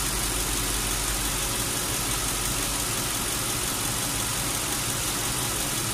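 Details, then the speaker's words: Lincoln Town Car AC recharge after R-134 leaked from long disuse and accumulator replaced: engine idling with AC on high, constant hiss and whir as the compressor kicks in and runs normally while refrigerant is added. "And the compressor's working, it's kicking in. You can hear it."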